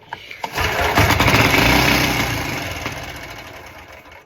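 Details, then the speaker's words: Go-kart single-cylinder engine, primed with spurts of fuel and throttle held wide open: fires and buzzes at speed for a couple of seconds, then fades out as it runs out of fuel; engine is a runner. "You guys heard that? She is a runner! Woo! And I can feel there's heat on this bike, which means it's running."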